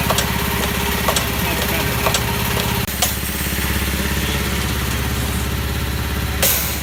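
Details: Old Haskel gas booster after a shuttle valve rebuild, under load: over a steady compressor drone, a sharp bang about every half second then quick light taps, the shuttle bouncing on one side and chattering.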